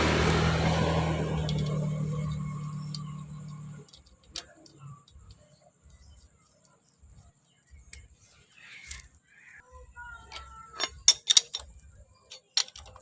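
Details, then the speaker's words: Suprafit motorcycle running on a used plug that had died from rich-setting carbon fouling, now regapped wider because it was too tight. The small engine runs evenly for a few seconds, then shuts off. The plug fires fine again. "Nah seperti itu bisa dibuktikan ya, ini bahwa terbukti busi yang mati awalnya mati dan ternyata masih hidup kembali, masih bisa hidup kembali ya."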